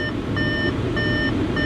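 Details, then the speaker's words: S-line at auction, just started, quiet idle with heater on: chime repeating about every half second, the door-open warning, stopping when the door is closed; nothing mechanical. "other than this annoying beeping which maybe close the door there we go that's better"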